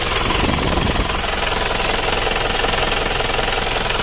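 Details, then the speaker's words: Isuzu Panther diesel, not yet fully warm: hard, rattly clatter when revved, harsh truck-like; diesel knock from over-advanced injection pump timing. "mesin ini timilnya juga terlalu maju suaranya kasar garang kerang-kerang kita saja mendengarnya agak terasa ngeri"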